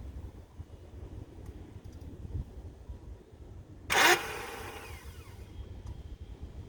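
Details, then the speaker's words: BMW E28 with new battery, engine won't crank: quiet background then one short sharp whirring burst that fades without the engine turning over; starter not engaging the flywheel, owner suspects the rebuilt starter. "mean something's not engage in the flywheel okay guys"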